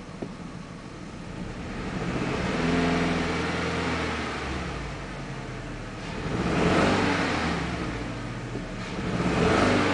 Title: Audi A4 misfire